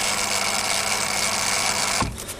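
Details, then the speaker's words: Refurbished and upgraded Daiwa DR-7500 antenna rotator on DC-7011 controller, casing reinstalled: smooth even motor whir, no grinding or clicking, runs steadily then stops cleanly at south; drive healthy. "so we're spinning around the left it's a bit quieter now that the casing is on"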